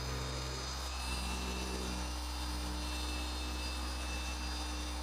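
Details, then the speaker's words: Rupes HLR15 cordless polisher working on an old Toyota Corolla; steady buzzing motor hum sags in pitch as the battery runs nearly flat at about 46 minutes of polishing: motor slowing from low battery. "oh the battery is slowing down that poish sh quite a lot you can even hear it so we're at uh yeah we're pretty much empty"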